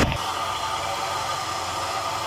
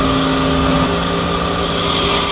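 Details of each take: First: Truck A/C compressor that had a squeak, after spraying WD-40: a brief knock, then a steady hum and airy rush with no squeak or chirp; the noise is gone and the compressor runs normally. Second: Pickup truck idling with AC switched on, recorded inside cab, louder outside: steady high whistling squeal from AC compressor holding pitch; owner fixes it by spraying WD-40 at the compressor; AC compressor squeal.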